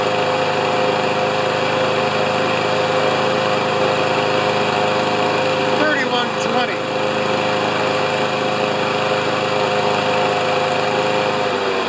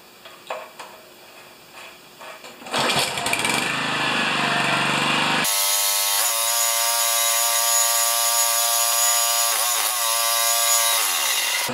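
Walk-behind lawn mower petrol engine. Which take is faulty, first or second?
second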